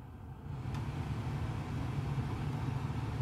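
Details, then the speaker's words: Acura Integra cabin blower after replacing the fan resistor, heard from passenger side: steady low whoosh ramping up and holding even speed, no rattle or squeal; fan speeds restored, running normally. "I can put my AC on you should hear the fan alright so that is repaired"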